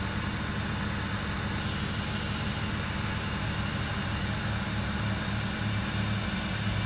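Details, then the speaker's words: Mitsubishi Lancer, cold engine just started after fixing ISC servo socket wiring (pins 1 and 3 were swapped): steady low rumble, RPM rises then falls slowly with no stumbling or stalling, unlike before when it dropped and died; normal cold fast idle. "Tuh RPM naik bos. Naik turun pelan-pelan, turun pelan-pelan ya. Kalau kemarin nggak mau bos, ya langsung drop itu, habis itu mati."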